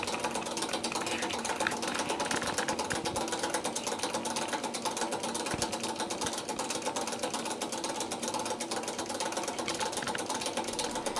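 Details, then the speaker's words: Circulation pump, third one replaced: fast uneven metallic clatter over a steady hum as the combined impeller-rotor has worn loose and wobbles on its worn shaft after a few years, eventually causing total loss of pumping. "Es beginnt an zu scheppern und kleppern und führt sogar zum Totalausfall der Pumpleistung."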